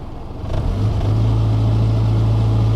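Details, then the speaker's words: 2000 Toyota Camry with cylinder 4 and random misfire codes, engine revved in neutral: it stumbles briefly as it climbs, then holds a steady drone; misfire the scanner didn't count, plugs and wires suspected. "that was a misfire but it didn't pick it [Music] up well it's not picking it up"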